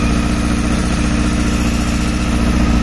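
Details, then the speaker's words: 2007 Honda Hornet 600 four-cylinder bike during synchronization: uneven, pulsing rough idle, cylinder 1 dropping badly, caused by a vacuum hose pierced by a screw and leaking. "alteração aqui ó totalmente com essa mangueira vazando lá não consegue entendeu"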